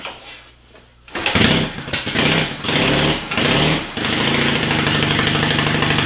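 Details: Yamaha XS650 dual sport build after two months, sat overnight, kick-started on choke, straight-through perforated exhaust: catches after kicks, a few sharp throttle blips, then a steady even idle; engine running healthy.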